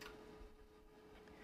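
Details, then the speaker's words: Bren-Tronics PP-8498/U military battery charger charging a battery containing two 12 V batteries; faint relay clicks over a steady hum and fan as it switches between the two sections to fully charge both. "and you are going to hear that while the charge is working because it's switching the this battery contain actually uh two batteries they are two 12 volt battery and that's what it's switching"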